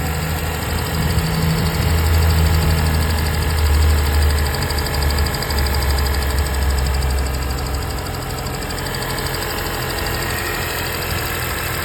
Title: 2025 Honda Civic hybrid sport engine ticking noise.